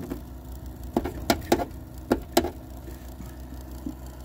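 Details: Ironside PC with side panel off: a steady low drone from the power supply, broken by five sharp taps on its casing; suddenly much louder than usual, confirmed with a stethoscope; the PC was already noisy from a bad processor cooler pump.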